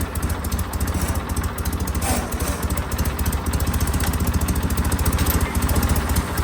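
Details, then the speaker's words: John Deere 316 tractor at full throttle after a throttle cable repair attempt: steady single-cylinder thump about 3.5 beats per second, holding low instead of full speed; cable sleeve still slipping through its crimp. "Now we get to see if it was all worth it. No good. This is full power right here."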